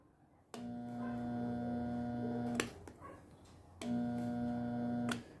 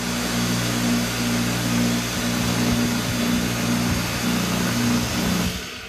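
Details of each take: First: Pressure washer with lost pressure, switched on twice for about two seconds each: only a steady electrical hum, and the motor never turns or runs up; motor hums but won't start. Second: Pressure washer motor after replacing the faulty capacitor, which had stopped it starting (it hummed without turning): steady even hum at constant pitch, stops briefly and restarts cleanly at full speed; motor now starts and runs properly.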